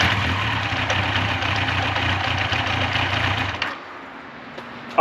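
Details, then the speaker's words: 1986 Yamaha FJ1200 first start after sitting non-running for years: steady, even engine run about three and a half seconds with no knocks or rattles, then cuts out; engine sounds good and held idle once warmed up. "Uh, the engine sounds good. I don't hear any scary noises from the motor. It did hold an idle fine once it was up to temperature and fully warmed up."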